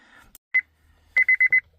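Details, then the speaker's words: 2004 Honda Civic, key on: seat belt chime at about 2 kHz, one beep, a pause, then four quick beeps; stops when the buckle switch is pressed, so the switch needs cleaning. "okay so it's beeping if I push the button the beep stops if I let it go"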